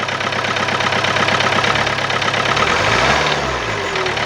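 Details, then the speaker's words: Old diesel car at idle with a steady quick tak-tak knock, about three a second, over the clatter, and vibration. Injectors already serviced, cleaned and coded, yet knocking persists and grows much louder when running. Source not pinned down; cause suspected, not confirmed. "ये देखो टक टक टक टक टक टक आवाज है और रनिंग में आवाज बहुत ज्यादा बढ़ती है"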